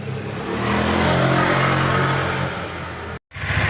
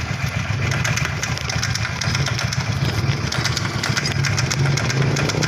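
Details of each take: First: Honda Vario Techno carb scooter after replacing worn front pulley bushing (roller housing loose): revving smoothly, even drone, no clicking from CVT case; acceleration comfortable, power back. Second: Honda Vario Techno carburetor scooter, clicking from CVT case at low rpm, caused by worn, loose front pulley bushing (also oil leak, starter not working, battery not charging): light loose ticking about twice per second over idle.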